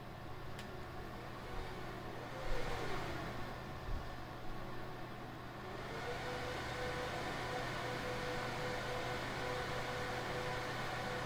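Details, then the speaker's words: HP ProLiant server (owner guesses DL360 G7) after fan replacement, powering on from standby: fans whoosh up loud, then settle to a steady even whir with a faint tone; normal boot ramp, quietest once the OS loads, fans healthy. "it'll ramp up and then it'll kind of settle back down and then once it gets to the os that's when it gets i think the most quiet"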